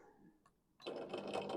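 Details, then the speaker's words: Lazy Spa/MSPA inflatable hot tub filter pump tested dry with the inlet and outlet magnetic flow floats held open: faint click, then a steady buzzing whir. Pump running dry; dropping the floats stops it and shows the E1 no-flow error. "and you can hear the filter is running now. If I hold these two open, it won't stop, it's running dry."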